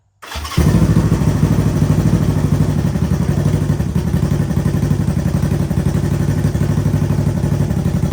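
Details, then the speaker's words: Honda CB360T twin started after many years off: catches straight away and settles into an even, steady beat with no knocks, misses or rattles; tach working. "let's fire it up I got a title now let's see what she sounds like"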